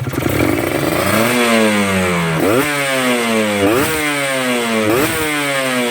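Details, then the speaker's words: Two-stroke motorcycle, not yet warmed up, carb set dry at low revs and wet at high revs: crisp blips, revs climbing cleanly and dropping back several times without bogging or spitting; a good, efficient setting. "Nah, ini adalah settingan yang kering di bawah, tapi di atas basah. Nah, itu settingan yang bagus."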